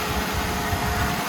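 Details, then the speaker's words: Jeep engine redone a second time after a faulty part, new pushrods found too soft and stock ones refitted after rattling; smooth, even idle with a steady low rumble and no top-end ticking, sounds exactly as it should. "listen to this thing perf oh my beautiful sounds exactly like it should exactly"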